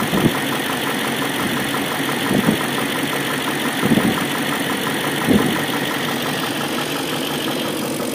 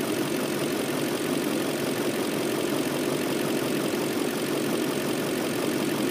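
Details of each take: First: BMW M62B44TU V8 with stock exhaust, chain tensioner (BMW 11317531813) replaced with an aftermarket INA part; idle with a light, uneven metallic rattle and a few revs, a timing chain rattle from slack chain. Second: BMW M62B44TU V8 at idle with stock exhaust, after the timing chain tensioner was replaced with an aftermarket INA part: smooth, even idle with a steady hum, no chain rattle or ticking; sounds healthy.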